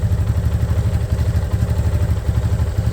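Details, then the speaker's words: Yamaha Fazer 250 (FZ25) at about 600 km, idling: steady fast light ticking clatter over the single-cylinder beat, from the engine not the exhaust; owner suspects valves, unconfirmed until service. "começou a fazer uma zoada estranha vé E pelo que eu vi uns vídeos no YouTube aí né a galera falando que era válvula"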